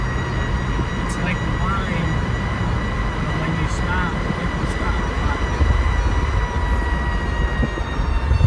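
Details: 2002 Jeep Grand Cherokee: steady high whine over road rumble while driving, comes and goes, sometimes absent for a while after a complete stop and restart; drivetrain whine of unknown cause.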